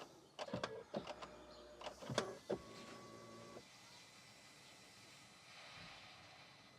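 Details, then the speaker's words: BMW after draining both fuel filters: ignition cycled to prime the in-tank low-pressure pump; a few clicks then a steady electric hum about three seconds, normal priming, system dry up to high-pressure pumps. "just cycle the ignition on and off just to try and get those filters nice and full yes i know i have to press the brake just doing something pumping fuel i can hear it"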